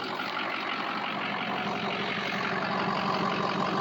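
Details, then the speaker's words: Ford 6.0 diesel truck with a hot no-start (standpipe/dummy plug suspected): even, steady idle clatter with no stumbles or knocks, constant speed. Normal idle. "Listen how smooth that sounds. You got to love the sound of a 6o."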